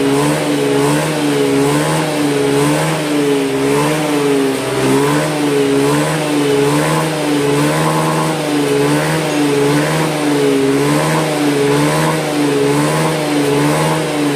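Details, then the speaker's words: Scooter that stalled on deceleration from lost compression, after a spark plug refit: engine held at high revs with a steady buzzing that swells and eases evenly and no misfire, while the exhaust smokes to clear deposits. "nah ini knapotnya sudah ngebul kayak gini sambil gaspol biar kotoran-kotorannya ikut hilang ya"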